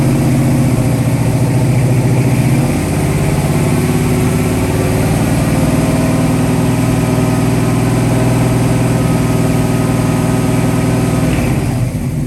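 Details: 1966 Mustang 289 built to a 331 stroker with hydraulic roller cam, first startup and tune-up, timing set at 10 degrees rising to 40 with mechanical advance; loud steady rich V8 idle with a brief blip, no ticking or knocking; normal idle and revving.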